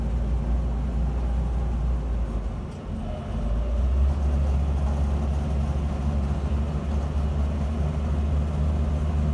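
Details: 1976 Land Rover Series 3 109 with 2.25 petrol engine, driving before repair: a deep, loud, uneven exhaust roar swelling with load. Holed exhaust blowing at the manifold, which has a stripped stud botched with a too-long bolt.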